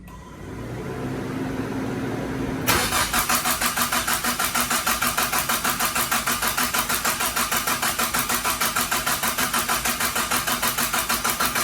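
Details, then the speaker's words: Mitsubishi Starion/Conquest G54B engine just reinstalled, before its first start: steady starter cranking with even pulses about three a second and no firing; oil pressure not yet up, so it keeps cranking to prime before first fire-up. "Nope, oil hasn't made it up yet. So we're gonna continue to crank her until we get some good oil pressure, and we'll fire her up for the first time."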